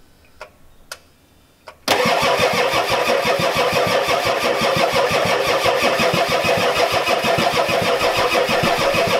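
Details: Ford F-250 XLT 7.3L IDI diesel, glow plugs connected, new injectors, ether tried: starter turns at steady three beats a second, never catches; crank no-start, no fuel through injectors, owner suspects weak injection pump.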